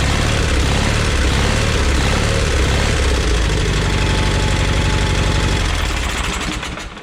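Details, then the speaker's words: Onan P218 twin in a 1988 John Deere 318 at idle: a quick, fairly even tick at about four per second over the low thump. This is valve noise that started weeks ago; the owner suspects it only needs a valve adjustment, not yet confirmed. "I don't know if you can hear that valve noise, but I sure can."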